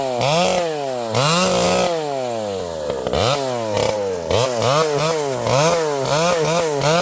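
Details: Vintage chainsaw with a governed carb cutting a leaning tree: revs rise and sag with each cut, blubbering a little at top speed however lean it is set. Running fine.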